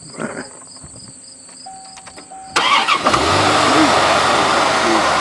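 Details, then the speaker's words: All-stock Corvette V8: a chime, then a quick crank that catches cleanly into a quiet, even idle with a soft exhaust note, described as pretty quiet; normal start and idle. "And let's start it up. This is pretty quiet. It's all stock."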